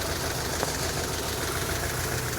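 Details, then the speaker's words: 1986 Saab 900 8-valve K-Jet after fuel distributor replacement: steady, even idle with low slow pulse, no misses, but idle speed oddly lower than before; cause unconfirmed. "My idle speed is oddly changed and oddly lower than it was before, which is interesting."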